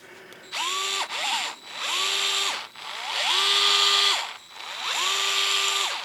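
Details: Used pawn-shop cordless drill on its working battery: motor whine spins up, holds a steady pitch and winds down over several trigger pulls, no grinding or rattle; drill runs normally.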